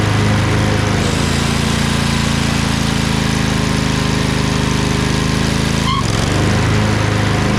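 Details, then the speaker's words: Craftsman LT2000 lawn tractor repowered with a Briggs 20HP Intek V-twin, owner suspects a blown gasket. After about 10 minutes under PTO load: smooth, steady beat, no knocking, ticking or hunting, no smoke. Normal running. "it's been running for about 10 minutes there's no smoke usually when i run it for about half an hour"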